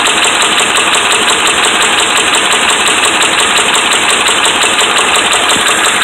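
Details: Dodge Ram 5.7 Hemi V8 held just above idle with a steady, regular, sharp metallic rap each turn, from bad connecting rod and crankshaft main bearings.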